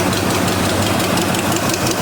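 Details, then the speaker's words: Chevy C10 with a once-seized 5.7 L 350 V8 at first start: sharp puffing tick on each firing pulse from an exhaust leak of unknown location; idle stays high, owner also suspects a vacuum leak. "Still got an exhaust leak. Got to figure out what I'm coming from"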